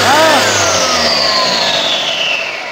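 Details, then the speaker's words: Mahindra Bolero pickup BS6 diesel revved with turbo pipe off: loud whistling whine sliding down in pitch; turbocharger failed with a loose, apparently broken compressor fan and oil leaking from the turbo pipe. "और turbo जाने से दो तीन बीमारी आता है, एक तो साउंड ख़राब होता है और दूसरा पीछे से पूरा व्हाइट स्मोक मारता है।"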